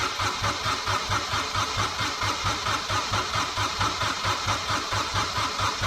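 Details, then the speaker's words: Kubota diesel after fitting a new starter with an 8-tooth pinion on a 1006-tooth ring gear (9-tooth specified): steady, even cranking over a strong starter whir, no dragging; turns over well, some smoke. "hey that's good how much better is that turning over yes and we got smoke over now a little bit"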